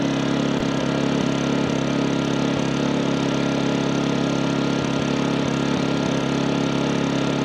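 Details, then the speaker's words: MaxPeedingRods 3200 W inverter generator started with eco mode off after sitting three hours; steady, even full-speed drone with no knocks or misses, running normally at about 74 dB. "okay that started up pretty nice for sitting for the last three hours"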